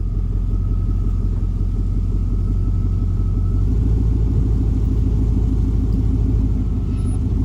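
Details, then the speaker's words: Chevrolet C2500 pickup in gear after new spark plugs and wires, burning off oil spilled on the manifold: deep, even rumble with no skips or stumbles, firing steady; the earlier skipping is gone. "but I tell you what she all runs a whole lot better listen to this no more skipping put it in gear runs like you should"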